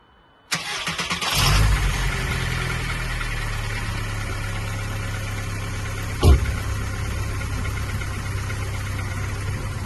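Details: VW Golf Mk3.5 cabriolet, after crankcase breather pipe work, chasing a vacuum leak before MOT: cranks and catches, settles to steady low idle with faint unevenness; splits in hoses suspected as vacuum leak.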